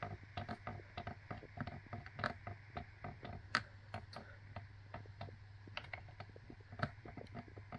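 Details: BMC bicycle frame before repair: sharp dry clicks, a few each second and unevenly spaced, in a quiet room. The creak comes from a brake hose epoxied inside the frame and an undersized, oval, misaligned bottom bracket shell.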